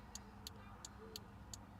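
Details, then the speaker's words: Crisp turn-signal relay clicks at a steady, even pace over faint engine rumble after fitting an adjustable flasher relay for LED bulbs; LEDs blink slowly at normal tempo instead of hyper flashing, fix worked. "and now it's clicking at a steady Pace check that out guys it worked the LED is still nice and bright and it's blinking nice and slow instead of hyper flashing"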